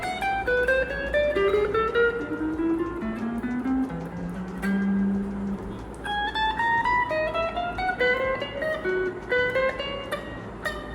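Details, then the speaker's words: Suhr Strat copy after fret levelling during pro setup; plucked notes mostly clean but one note buzzes briefly; third-string saddle screw too short, needs a longer one to raise the string and clear the note. "um this is mainly because the third string the screws is a bit short so I need to find a longer one to raise it up then that should clear that particular note"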